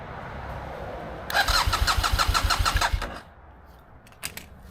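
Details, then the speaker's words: 2015 BMW F800R with check engine lights, unstable idle after washing; no fuel pump click heard, then about eight quick starter beats over two seconds without firing, owner hopes it isn't the fuel pump; crank no start. "It just doesn't start properly. Try again. Nope."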